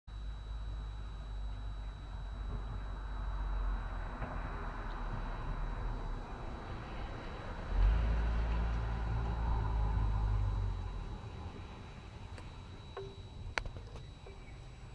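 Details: Rover 75 petrol engine idling with a thin, steady high whine over a low rumble; noisy idle control valve suspected, not confirmed.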